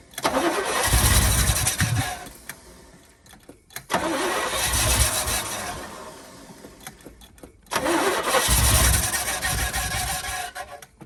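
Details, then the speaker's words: 1972 Chevy K10 4x4, 350 V8, sitting 20+ years: three tries, it cranks, catches and revs a second or two then fades out each time; good oil pressure when firing, owner suspects fuel delivery, possibly flooded. "It has really good oil pressure when it does fire, so I'm not worried about hurting the engine that way. It just doesn't seem like it wants to run very good."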